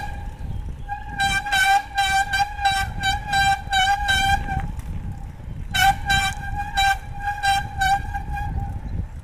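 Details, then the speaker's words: Mountain bike disc brake bedding in after rotors were dressed with CRC De-Squeak, ridden in a low gear with braking pressure applied: a loud high-pitched squeal pulsing two to three times a second with wheel rotation, expected to fade as bedding completes. "Once again, it's going to squeal in the beginning, so don't be alarmed."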